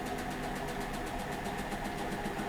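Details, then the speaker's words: Hotpoint NSWM 1043C W UK N 10 kg inverter-motor washing machine, a few years old, near end of cycle: light regular ticking over drum whir, source unclear; cracking near shock absorber mounts feared. Ticking noise. "Ticky there sounded a bit Ticky but it's a washing machine they're not silent they make noise"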